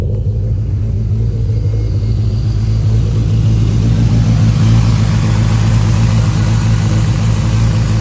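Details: Engine after a fuel pressure regulator replacement; it had flooded and the intake manifold was drained first. It catches and runs with an uneven, lumpy rumble rising and sagging irregularly. Rough running; the cause is unclear, later found to be minor.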